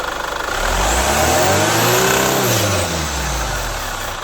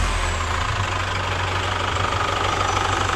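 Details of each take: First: Chevrolet Captiva FL diesel with weak pull, smoke on acceleration, hard cold start, revved: rough growl rising and fading with rpm; turbo growl, turbo hose leak and stuck actuator found, fixed with cleaning, turbo hose and injector seal replacement. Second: Chevrolet Captiva FL diesel after repair (injectors and rings replaced, turbo cleaned, turbo hose replaced), revved to 3500 rpm: steady, even idle with soft regular clatter, no knock or turbo roar; engine healthy.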